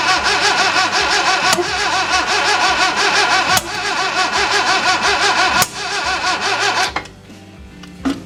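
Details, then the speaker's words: 1966 Datsun 520 truck abandoned 40 years, cranking again: steady starter churn with occasional weak catches that never run, then drops off; trying to fire but won't start. "It's definitely trying to fire the fuel. Come on. Come on."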